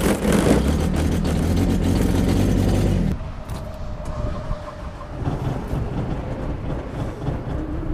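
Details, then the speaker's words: Kubota diesel tractor after sitting overnight in snow, cold start using glow plugs: short cranking burst, fires quickly and settles into an even, steady idle clatter with no stumbling; a healthy cold start. "we're going to take this set of keys and see how far we can make it until we find one that won't start really that was it this might take a while"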